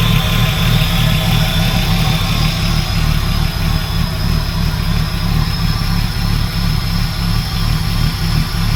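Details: Ford AU SOHC Intech turbo, first start after rebuild: deep, steady idle with an even low rumble, no knocks or ticks; idle slightly high (should be nearer 500), likely from missing intercooler piping; normal idle.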